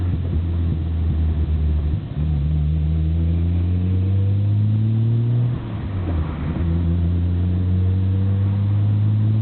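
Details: Nissan BNR34 Skyline GT-R, stock Getrag gearbox with Nismo clutch, windows open: coarse rattling clatter under engine drone as revs rise, worst on load changes, abnormally loud in 1st and 6th; persists after gearbox oil change, overhaul suspected.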